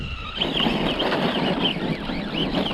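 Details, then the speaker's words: Traxxas Sledge RC truck, new 2250kV motor with Hobbywing G2 ESC, CNC gears, 20K diff fluid, bent chassis, about 65 degrees: wavering high whine rising and falling with slow throttle; owner unsure if normal. "It does have a weird whine to it. Not sure if that's normal or not."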